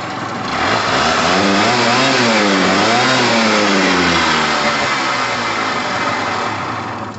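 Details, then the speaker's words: Pulse Force 50cc GY6 two-stroke scooter, first test run after sitting a while, new fuel line, heavy two-stroke oil mix: crisp blips rising and falling cleanly with throttle, no stumbling; healthy revving, needs loosening up. "all right guys that sounds amazing i've got a lot of two-stroke oil in there the petrol is literally red you can see it look look at the color because it's been sitting a while so it needs it needs loosening up but it sounds amazing yes i love a two-stroke sound"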